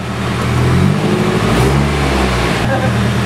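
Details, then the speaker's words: Nissan S14 Silvia just after first start following valve cover reseal and new power steering pump: brief free rev spins up cleanly and settles, no miss or knock; normal free rev. "oh yeah rev it up a little bit"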